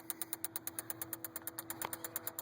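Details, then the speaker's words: 2007 Honda Civic LX that won't start despite a new battery: the blue relay clicks rapidly, about nine per second, with the engine silent, a faint hum and only the check engine light on. Connecting a small computer stops the clicking and the car somewhat runs. "you can hear a relay that blue relay right there it's actually clicking try to turn on the car nothing"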